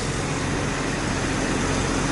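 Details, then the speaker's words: 1999 Jeep Grand Cherokee 4.0 L six, first run in a month after replacing the crank sensor that had shorted the computer: steady, even low rumble with no misses, knocks or hunting; normal idle. "Alright, boys. Got her. Crank sensor shorted the computer out. Made it look like a bad computer."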